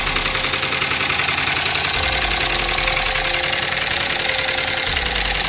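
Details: Dodge Durango 5.7 Hemi with check engine light on and raw fuel dumping into the catalytic converter, idling with a loud sharp tick three or four times a second; cam and lifter suspected, bottom end not yet ruled out.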